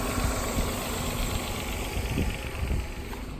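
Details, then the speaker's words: Copart salvage auction car, jump-started and heard up close at the engine: a steady, low, even idle rumble with no knocking or ticking, quiet and smooth, "purrs like a kitten"; with no dash warning lights, it is a normal idle. "I'll get you close to the engine so you can hear it running. She's quiet. Purrs like a kitten."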